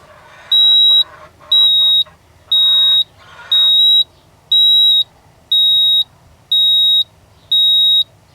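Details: 1987 Ford F-150 inline-six that ran rough after warm-up on a cold morning: eight evenly spaced high beeps, about one a second, no engine noise; code reader flashing stored engine trouble codes 31, 67, 82, 95.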